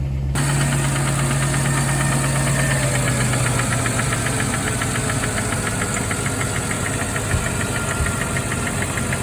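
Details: Mercedes E420 V8 at cold start after throttle body rebuild: light quick tick about two per second over smooth idle, less than at first, isolated at one side above the valve cover; owner suspects noisy lifter.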